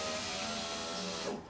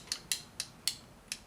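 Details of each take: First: 2006 Honda Civic EX front passenger power window after window regulator replacement, motor not hot. A steady, even whir that stops with a light clunk at end of travel; normal operation, the old regulator was bad. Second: 2006 Honda Civic EX front passenger power window: irregular sharp clicks in bursts, no motor run sound, window stuck up and not moving after briefly working; window regulator/motor judged bad, needs new regulator.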